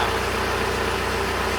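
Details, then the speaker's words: $1500 1.9L TDI Jetta manual diesel idling after an oil change, with no leaks found: steady idle with an even, hard-edged clicketty-clack over a low rumble, likened to a 1960s tractor: normal diesel idle clatter. "Thing sounds like a 1960s tractor."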